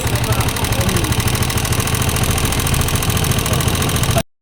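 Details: Rusi 125 motorcycle at idle, nearly run out of engine oil after long rides, head very black, valve clearance said correct; fast, even metallic ticking at engine speed; valve train clatter from low oil, oil to be changed.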